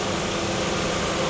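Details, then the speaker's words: Lincoln Town Car Jack Nicklaus edition at auction, alternator charging: steady even idle with smooth low hum, no knocks or misses, runs like a sewing machine. "take a listen to that engine boy she sounds good I mean she runs like a top like a sewing machine"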